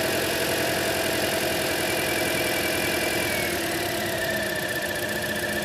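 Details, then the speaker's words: 2010 Toyota Corolla 1.8, P0301, idling: unplugging cylinder 1 coil gives no change in note or RPM, confirming that coil failed; engine runs rough on single-cylinder misfire, note sags when a good coil is pulled. "so as you saw there as I unplugged the number one ignition coil there was no change in the sound or their note of the engine no change in the RPMs"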